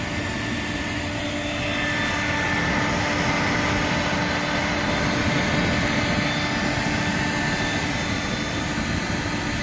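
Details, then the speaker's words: Wood gasifier flare with new blower (yeast pump housing, rebuilt vacuum motor) turned up slightly, thermocouple about 775–780°, barrel 129: steady even roar with constant hiss and low rumble, no sputtering; flare burning cleanly. "Turnipseed of the blower up just a little bit [Music] oh yeah easily you can hear it roaring"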